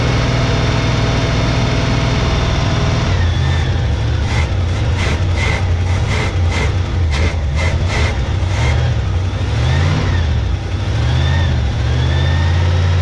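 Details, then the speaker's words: 1971 Chevy K10 4x4 pickup, small-block 350 V8, restarted after sitting about 10 years, choke on: deep, loping idle sitting low and uneven, pulsing; carburetor gasket dry-rotted and leaking; owner suspects the old gas causes the low rough idle. "That's out of idle. It might be idling low right now due to the just because of that gas."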